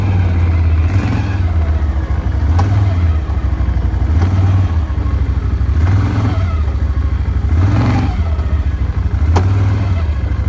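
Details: Brand-new Can-Am: deep engine rumble rising and falling in slow revs, with occasional sharp clicks of unknown cause.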